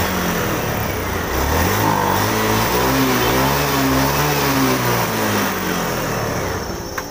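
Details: Honda Beat FI scooter after the TPS was adjusted and its voltage raised, clearing the 8-blink MIL code: engine note climbs and falls smoothly through throttle blips with no stutter; acceleration is clean.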